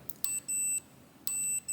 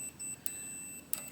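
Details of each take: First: 1968 Harley-Davidson generator Shovelhead ignition points checked with a meter to earth. Short beeps about once a second cut off cleanly when the points open, so the points ground normally. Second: 1966-1969 Harley-Davidson Shovelhead generator model ignition: multimeter beeps when probing from ground to points arm, showing continuity; arm should be insulated from ground, so points are shorted to earth and ignition won't work.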